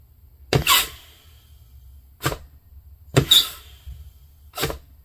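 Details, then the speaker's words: 4L60E automatic transmission air test of the forward clutch during a rebuild: four sharp air bursts that end cleanly. Normal forward clutch apply. "good now in the right three four clutch and that's just the noise you hear that's leakage past the seal rings once you get transmission fluid and get everything up to Temp and they're spinning and un seated in that won't happen so normal stuff"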